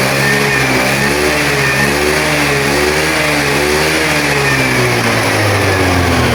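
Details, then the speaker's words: Honda Vario 110 scooter with battery suspected of not holding charge (charging confirmed present), kick-started and warming up for 10–15 minutes; steady, even drone with a slight rise in revs near the end, no knocks or misses; running cleanly. "Oke, kita panaskan dulu ya sekitar 10 sampai 15 menitan, Bosku ya."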